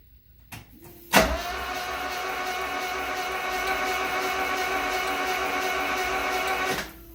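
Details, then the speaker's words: 1974 Alfa Romeo Spider Veloce, 10K original miles, stored 30 years; starter test with spark plugs out after cooling leak repair: steady even whirring drone about five seconds, light hum, no clunks or binding; engine rotates freely, no fuel smell yet; normal cranking. "Well, there's rotation. I don't smell any gas, but I'm not surprised because it's going to take a while for that gas to get up into the injection system."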